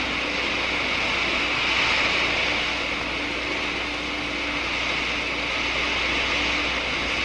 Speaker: the subsequent collapse of the bubbles which you can hear creates enormous stresses in the wall